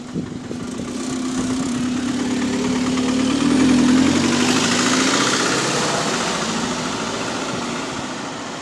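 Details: GAL SEN48 bus idling: steady tapping knock about three to four per second over a mid-pitched drone; suspected rod knock, also an air leak somewhere, not confirmed.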